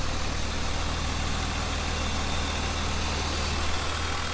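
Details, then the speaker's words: 1999 BMW E36 M3, low-mile car sitting unused for years, first start in about four years with new plugs and wire harness, warm idle after a few minutes: smooth, even, no misses, knocks or ticks; healthy. "it's been running for a few minutes no electrical smoke everything looks good nothing smoking everything looks good the engine sounds great"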